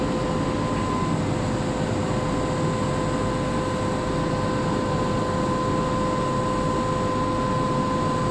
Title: Weird Fan Sound on LRT Kelana Jaya Line set 54 #klsentral #train